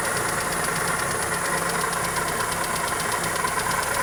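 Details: Toyota Corolla EE90 with a 2E petrol engine idling with a steady, fast ticking knock, about three beats a second.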